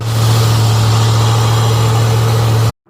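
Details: Squarebody GMC with a 454 V8, after a new coil was fitted and the ground points cleaned. Idle is a deep drone with an uneven, loping beat, one cylinder dropping out; the misfire persists and the cause is unconfirmed, with plugs being checked.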